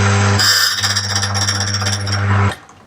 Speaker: Let's hear what the difference between cutting and not cutting sounds like. This is not cutting. Okay, this is cutting.